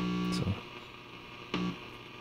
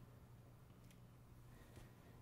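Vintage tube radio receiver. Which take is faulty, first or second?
first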